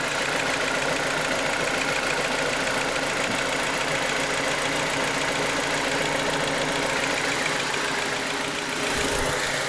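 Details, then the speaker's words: BMW E87 N45B16 after VANOS replacement, not yet fully warm. Steady idle with a fast, light ticking: normal injector tick. No camshaft/VANOS rattle remains, and the earlier knock appears cured. "Пусть форсунка стучит, к черту все это. Главное, чтобы распределительный вал не дребезжал."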